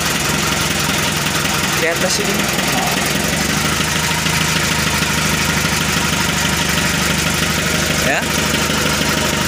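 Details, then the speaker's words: 1981 Mitsubishi Colt Diesel truck, 100 PS, after fitting a new original engine block: starts and idles with steady, even, smooth diesel clatter, no misses or heavy knocks; checking for water and fuel hose leaks, slight leak at a hose clamp. "mau hidup dan kita cek Apakah ada selang air yang bocor ataupun Slank dan solar yang bocor ya suaranya halus"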